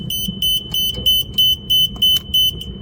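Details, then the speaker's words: Machine controller with a shorted 24V control circuit, tested by unplugging wires one at a time: steady high-pitched beeps, about three a second, meaning the controller is rebooting. "이게 삐삐 소리가 재부팅 된다는 거니까이 소리가 나면 안 되는 거예요."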